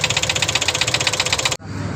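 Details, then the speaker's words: CNG engine, plugs working, before repair: sharp metallic tak-tak at about eleven per second over a light idle, steady and even; debris from an earlier plug removal fell into cylinder three, marking piston and head, causing piston knock. "उसका कचरा गया था य निशान हैय पूरे उस पर जाकर लगा है इसकी वजह से इसमें टक टक की आवाज बन रही थी"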